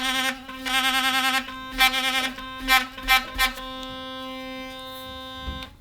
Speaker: And you can hear the pressure sensitive thing go off when you put too much pressure on. it reduces the pressure and the light comes on here.